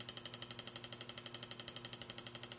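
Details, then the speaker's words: 1934 electric motor belt-driving a homemade die filer, first powered test: runs fast with a sharp even tick about twelve per second; no noise when turned by hand. "it's running faster than I imagined it's running well but it is it is making a ticking noise you hear that"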